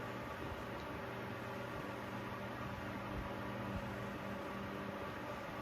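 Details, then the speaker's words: 1930s Victor 12-inch oscillating fan on its low setting gives a steady whir with a light rumble from worn bearings, running nearly at high speed; the speed control in the base no longer works properly. "So yeah, this is low. I'm sure when this fan was new, it was actually proper low for a fan of this style. go to medium, which as you can see is slightly faster, but right here is basically high."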